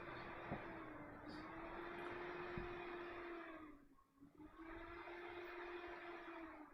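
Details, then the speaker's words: ASRock motherboard with a memory slot left unpopulated: steady fan whir sags and dies near four seconds, then spins back up as the board power-cycles in a boot loop; bad RAM slot on the motherboard. "yeah oh what same thing yes bad slot on the motherboard"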